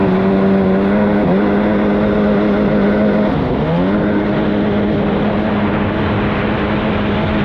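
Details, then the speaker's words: 2003 Sea-Doo XP DI 951 two-stroke on the water after new fuel pump and filters: high steady drone that stumbles and dips briefly under way; runs more consistently but still misses at high rpm and won't run out properly. "so with the new fuel pump install it's definitely running better everything's more consistent but it's still not right it doesn't run out the way that it should"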